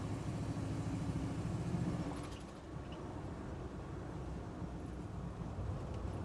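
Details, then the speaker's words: 1973 Chevy Nova badged SS, likely 350 V8, road test over rough pavement and swerving after chasing a rear banging: steady road rumble and engine drone, no clunks from the back; passed, only exhaust needs muffler shop work. "see we like produce any noises by swerving a little bit at all sounds good guys I'm going to give this a passing grade"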